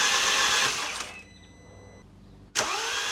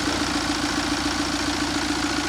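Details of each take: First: 2013 Mini N47 diesel, first start after timing chain job and engine refit: catches briefly and dies, then spins with a flat even rush and no firm compression beats; suspected low compression. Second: 2013 Mini N47 diesel, first run after timing chain job and engine refit, no mass airflow sensor fitted: steady diesel idle with even, rapid clatter (tappets expected clattery), no misses or surging; engine running normally.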